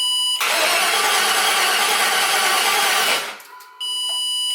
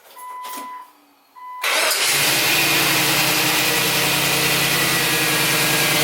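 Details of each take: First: LS Vortec swap in a 2003 Jeep TJ: starter cranks steadily about three seconds without catching, then a test-light beep; grounds are good, but computer switched power is wired to ignition-on only and drops out while cranking, so no start. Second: LS Vortec V8 swapped into a 2003 Jeep TJ, after fixing crank-no-start by wiring computer switched power to run/start: chimes, cranks, catches at once, smooth even idle; normal start and idle.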